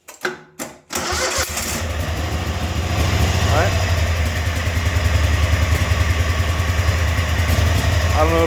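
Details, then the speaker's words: Old engine bought for $125, with an aluminum block or head: it cranks, catches and settles into a choppy idle with a light rapid tick. The tick is an exhaust leak from a blown head gasket, so it won't be run much. "you can hear that ticking or not, but that's the exhaust. That's that head gasket."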